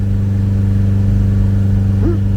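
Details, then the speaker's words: Garden-find Ford Capri revived after sitting, heard from the rear at the exhaust: a really even exhaust note rising cleanly on the blip and settling smoothly, little smoke, running really well. Healthy engine revving. "oh God it sounds good back here"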